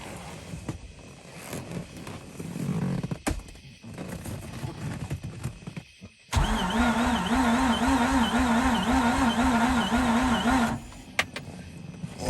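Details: Mazda RX-8 no-start: starter cranks steadily at about three turns a second for several seconds with no catch; a fuel leak was found at a pipe or line fitting, owner suspects no fuel reaching the engine.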